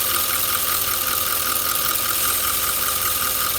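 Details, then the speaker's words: 2009 Audi S5 with engine management light, misfire and catalyst efficiency codes, idling: loud constant airy hiss; vacuum leak from a split crankcase breather pipe under the throttle body. "while I'm working on the vehicle while the Vic was drumming I can hear the hiss I don't know whether you can hear it the hissing noise"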